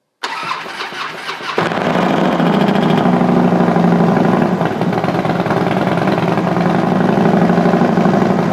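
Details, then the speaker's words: Custom-built Harley FXD35 engine with Thunderheader exhaust, first startup after top-end rebuild with oil pressure raised: a light, quick valvetrain ticking over the loping idle right after it catches, fading within seconds, likely lifters filling. "shot all right well first startup sounds pretty good obviously uh I don't know if you can hear it through my microphone but even with cranking the oil pressure up you do get a little bit of valve train noise right there at the very beginning but that real quickly went away so that's good"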